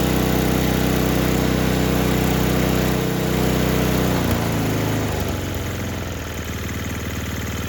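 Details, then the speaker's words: Murray Ultra 5hp snowblower with Tecumseh engine, after carb cleaning for a no-start: small single-cylinder runs smooth and even, settling lower as the throttle changes, steady beat, no stumbling; running normally. "All right, like the way that sounds."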